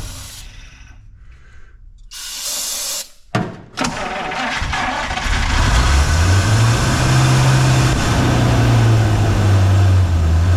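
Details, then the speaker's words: 1953 Buick during fuel system restoration, first attempt on its own fuel supply from a dirty tank: starter churns steadily about three turns a second but never catches, gasoline just starting to rise through the filter; cranking, no start from fuel starvation. "nope let's see here so she does wrong starting to see something that looks like gasoline coming up through that filter"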